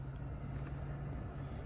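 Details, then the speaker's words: 2010 Dodge Grand Caravan front cabin blower motor after repair, tested at third and fourth speeds: steady even low hum, no longer rumbling or rattling; normal blower operation. "Third speed, yeah, it's running nice. And the fourth one. It's going to be nice running the air and not having that thing rumbling."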